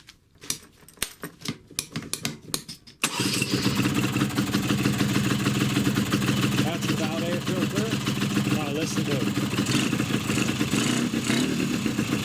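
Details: Malossi 360 reed manifold with original Malossi reeds, PHBH 30 carb (300 needle, fuel pump), tuned Polini 177 cylinder (176/118 timings), flowed Megadella V5 exhaust, first start: cranking pops then loud raspy buzzing idle with harsh unfiltered intake honk; loud reed intake noise.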